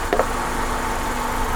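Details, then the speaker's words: Honda Accord, believed 2001 or 2002, that would not start: restarted after running 8–9 minutes, cause thought to be running out of fuel; brief clack, then smooth steady petrol idle. "so yeah see now we've had it been running about 8 minutes 9 minutes so we think what happened we just ran out of fuel"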